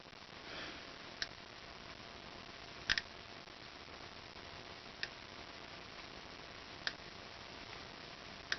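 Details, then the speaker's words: Solenoid valve for a Shapeoko 2 to OpenPNP conversion, bench-tested: sharp single clicks every couple of seconds as the spring-loaded core moves in and out against its seat. The valve seals closed and opens when activated, working normally. "if you hear that click, that's that core moving in and out. It's spring-loaded against a seat in here."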